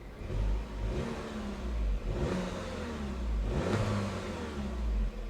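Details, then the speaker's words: 1992 BMW 325ic salvage-auction car; a smooth, even engine note rising cleanly with two light throttle blips and settling back, with no knocks or rattles: sounds healthy. "sounds healthy does sounds healthy guys"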